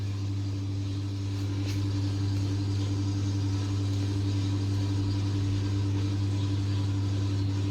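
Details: LG 10 kg direct-drive top-loader, about nine years old, after repairing broken part that caused loud motor-side spin noise: steady low hum with faint even tone through the spin, no knocking or grinding; normal spin.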